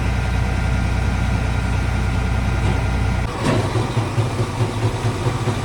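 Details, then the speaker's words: Grain cart auger pulled by a John Deere 8235R during harvest: steady drive hum gives way to heavy, uneven low thumps about two per second; something inside the auger tube knocks, seemingly in its upper/middle portion. "this a is making a devil of a knocking noise St I we trying to figure out what it is sound like it's in the upper portion"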